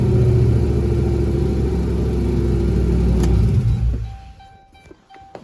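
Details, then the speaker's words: Turbo 6.0 V8 with 4L80E warming up, smoky, which the owner says is normal; deep, even burble at a steady lope for a few seconds before dropping away, a healthy engine. "Oh, here we are. It's warming up. Man, it sounds good."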